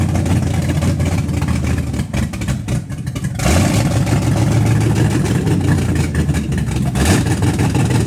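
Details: Carbureted car just after camshaft break-in, idle timing set the day before: uneven, lumpy idle between throttle blips, revs sagging and stumbling after each rev, running rough and stalling; cause unclear.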